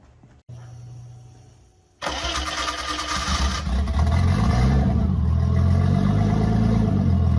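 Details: BMW E30 325 just fitted with a turbo kit, open downpipe, no exhaust yet: brief crank, catches and flares, then a loud slightly lumpy idle; idle likely needs adjusting due to new charge piping, not confirmed.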